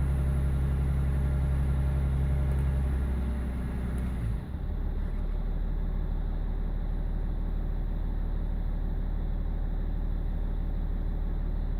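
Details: BMW E46 330d M Sport diesel with lumpy idle and judder around 1500 rpm; INPA shows injector 6 needs changing ASAP, injectors 1, 2 and 4 also off: low, heavy idle with uneven, lumpy beat rather than a smooth hum; failing injector.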